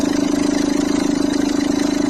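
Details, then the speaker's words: Citroën C3 1.4 HDi diesel at idle: fast, even chatter and a rattly mid-pitched buzz from the belt side, with the tensioner visibly bouncing. The accessory belt tensioner is worn and due to be replaced. "Ça c'est pas normal. Alors je vais lui remplacer cette pièce là qu'on appelle un tendeur de courroie d'accessoires."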